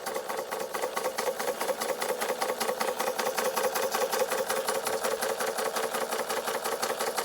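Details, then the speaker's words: Bing 130/383 uniflow engine, first test run after refabricating many missing parts: brisk, even chuffing about two to three beats a second with a light whirr from a gear the owner must still make, a bit noisy; running properly. "I have to make this gear here as well it's a little bit noisy but I think they might all be a little bit noisy"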